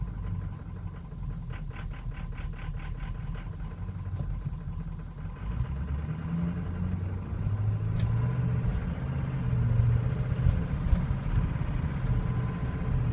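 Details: 2003 Ford Excursion 6.0L Powerstroke diesel, suddenly running poorly over two days: deep idle with an uneven, lumpy beat swelling and sagging irregularly; rough, stumbling idle worsens when warm, may stall, hard hot restarts, starts well cold; cause unknown.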